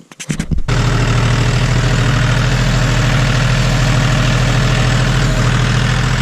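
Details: John Deere 5205 tractor diesel just after replacing the Stanadyne DB4327-5913 injection pump: it catches after a brief crank and settles into a steady, even idle knock with no misses or hunting. No leaks are seen, and it sounds really good.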